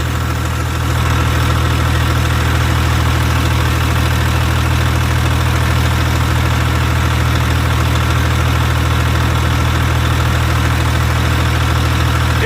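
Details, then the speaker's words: 2001 International 8100 dump truck, Cummins ISM11 diesel, 513,000 miles: deep, rock-steady idle, even beat, no miss or knock; no blowby, runs phenomenally. "very clean very good running truck rock it has no blowby for the mileage it just starts and runs phenomenal"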